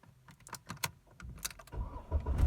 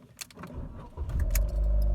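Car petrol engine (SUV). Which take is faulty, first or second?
first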